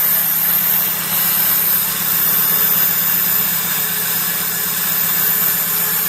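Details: 2004 Jeep Grand Cherokee first-fire test after replacing fuel injectors (originals at 225,000 miles, three bodies cracked), with the airbox and air filter not connected. Steady, even idle, smooth hum with a loud airy hiss, no misses or knocks; normal.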